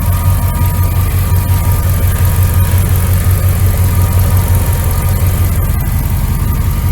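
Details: 1999 Dodge Ram 1500, 5.9L V8 gas, idling after a new starter, belt tensioner and idler pulley (old pulley bearing badly worn): deep, steady low rumble with even pulses and no squeal or rattle. Normal idle.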